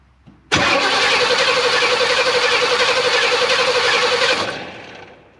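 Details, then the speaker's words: Abandoned K5 Blazer, crank-no-start during spark check: steady starter whir about four seconds, engine never catches or coughs; no visible spark, so ignition testing follows. "don't think she has any fire. So I will pull out my probes and we'll go to testing on this thing."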